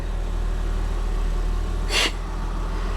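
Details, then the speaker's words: Motorhome RV at auction, fitted with an exhaust brake and air horn. It holds an even, quiet low-rumble idle with a steady beat and one brief air hiss, which is a smooth, healthy idle. "it runs wow you can barely hear it it sounds great"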